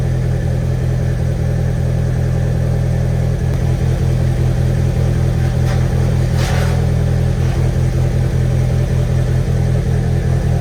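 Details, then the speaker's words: Rebuilt VW 1.8T idling, crank confirmed at top dead center, cam position sensor code present: idle stumbles and shakes with uneven beats in deep rumble, running really rough. "okay so it's still a running really bad really rough and this camshaft"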